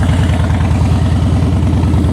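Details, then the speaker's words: Salvage-auction wrecked 2013 Harley-Davidson Heritage Softail (95.5 hp at 3,000 rpm) just started, charging 14 volts; deep loping V-twin idle with steady, even beats, no knocks or misses. Nice-sounding exhaust, normal idle. "Oh, she sounds good. She sounds real good. Woo. It's a nice sounding exhaust right there, guys."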